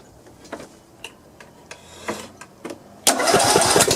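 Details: John Deere lawn tractor engine after replacing a broken push rod (Briggs & Stratton parts) and adjusting valve clearance: a few sharp cranking clicks, then it catches and runs evenly; smoke is from spilled oil on the muffler. Running good.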